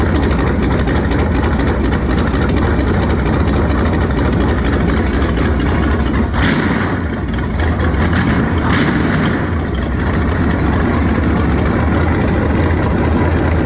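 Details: Warm V8 after swapping to a 2-barrel carburetor, vacuum port patched and taped, choke nearly open: steady deep idle rumble wandering slightly in rhythm. Runs smoother now but mixture still sounds a little off; slight smoke noted.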